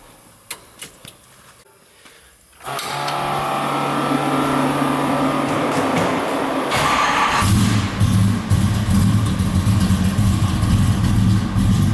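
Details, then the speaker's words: 1965 Chevrolet Malibu with a 350 V8 and 5-speed manual: a few clicks, then it fires and settles into a deep choppy lope at about two beats a second; a healthy engine with a nice cam. "Sounds good. The cam sounds real nice in it. It's got some power."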